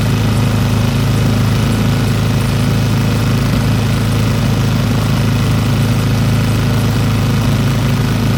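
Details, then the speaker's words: Old Briggs & Stratton single-cylinder petrol engine rescued from the trash, started on hand choke and running after opening the carburetor needle valve; steady even low thrum at one speed, smooth enough to hold with one hand, no misses or knocks. "that's pretty incredible look how smooth that is I can hold it with one hand somebody had that thrown away"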